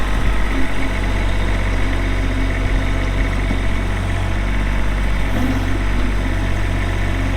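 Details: Kubota B7500 4WD hydro tractor, 21 HP diesel, 1,249 hours, LA302 loader, 60-inch belly mower: steady low diesel rumble at idle, even and unhurried, no knocks or misses; healthy.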